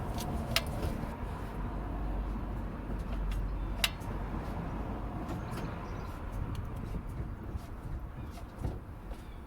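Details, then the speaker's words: MK5 Ford Transit recovery truck, drum brake being set up: the pedal is pumped and the self-adjuster gives sharp, scattered ratcheting clicks over a low rumble, adjusting normally. "I'm going to go and pump the pedal, and hopefully I'll put this a bit closer. You should hear that adjuster clicking."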